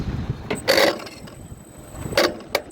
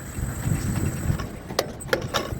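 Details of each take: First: Anupam Alpha A794 tower crane trolley motor brake: irregular sharp clacks then loud rough buzz during brake operation, caused by loose coil wire (terminal 6 to 4) pulling out and giving improper voltage; tightening connection fixed the sound. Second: Anupam Alpha A794 tower crane trolley motor brake after repair: low motor hum with three crisp, clean clacks as the brake releases and catches. The harsh noise came from a loose wire (terminal 6 to 4) giving improper voltage, now fixed and working normally.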